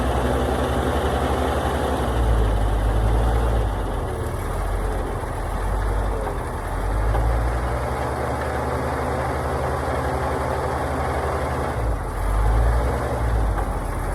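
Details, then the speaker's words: Oshkosh plow truck, engine governed at 2800 RPM, started in winter after sitting a long time, no coolant, borrowed coil and temporary gas tank, full exhaust: deep, loping, fairly even idle with small wavers; running pretty good. "seem to be running pretty good for sitting forever even has a full exhaust on"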